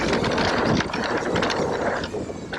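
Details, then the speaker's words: Trek Rail e-MTB with Bosch Gen 4 motor, 625 Wh battery, freewheeling downhill on trail in about 35 °C heat: loose chattering rattle over tyre noise, similar to Shimano; motor rattle when coasting. "you can probably hear that rattle i'd say it's pretty similar to the shimano definitely the bros wins for a silent motor when you're riding it"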